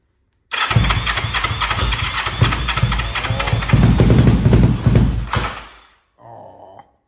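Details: 500cc Kawasaki Ninja-engined carbureted minibike after a loose part was tightened. It cranks, catches and settles into a steady low idle with even firing, then shuts off; it starts and runs normally.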